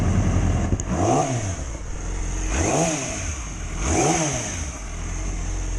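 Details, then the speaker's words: 2006+ Yamaha R6 after fixing a common dying-at-idle issue (it died at stops below about 160–170°F, worse in cold): three quick throttle blips rise and fall cleanly, then it settles to an even idle without stumbling; normal. "Idling pretty dang good."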